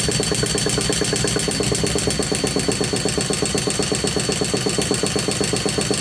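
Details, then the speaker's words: Tamiya Nitrage 5.2 1/8 nitro truggy, built in 2008 and out of storage, on the bench: steady buzzing spin at about four pulses a second with no firing pop; cranks but won't start, cause unknown. "okay so that ain't going to start and we don't know why"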